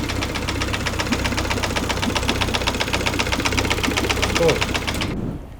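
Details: Nearly new Yamaha F70A outboard that began knocking after a full-speed reverse shift, run without the lower unit and with an oil pressure gauge fitted: sharp regular ticking knock about four per second from the engine; the gearcase held emulsion and a loose nut, and the cause is unconfirmed.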